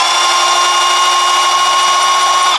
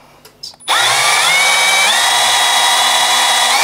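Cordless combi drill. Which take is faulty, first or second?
first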